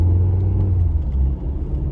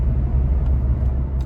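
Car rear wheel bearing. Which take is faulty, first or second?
first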